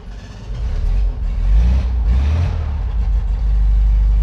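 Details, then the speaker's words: 1956 Volkswagen Oval Beetle, air-cooled, just started with manual choke pulled out after pumping pedal: deep steady thrum at raised even idle; more choke raises revs, pushing in lowers them; normal fast idle on choke. "the engine sounds a little high because I got the choke out the more you pull it out the higher the engine's gonna rev here and the more you pull it in it starts to go down"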